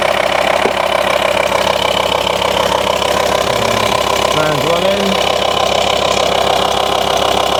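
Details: VW T5 Transporter pre-facelift 2.5 BNZ diesel idling after fixing an intermittent A/C fault: continuous fan rush and smooth even clatter, compressor commanded on, no fault codes, evaporator 26.5, 21 degrees outside, cold air and cold pipes.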